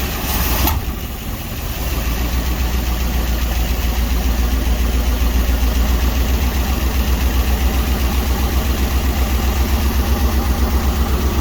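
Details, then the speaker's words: 1961 Dodge C800 truck's old carbureted V8, first start after sitting about seven years (the title says 20+), little cooling fitted: uneven loping idle with a steady hiss of sucked air, from a big vacuum leak. "as you can hear there is a big air leak but we got lots of things to contend with too at least it's freaking running"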